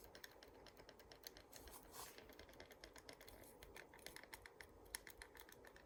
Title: Glorious model d do be making weird noises